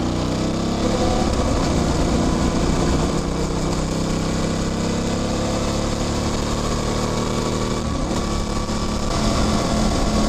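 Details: Motorcycle under load: buzzy engine with light chain whir rising with speed and a gear-shift clunk near eight seconds; the rest is engine, gearbox and clutch. Normal drivetrain noise.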